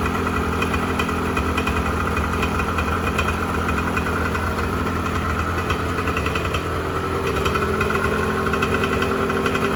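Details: 1986 Honda NS400R 400cc two-stroke triple after 11 months standing, run on choke to empty the carbs for storage: buzzy idle holding fairly steady, then the note sags and wavers at the end as the carbs starve; fuel starvation.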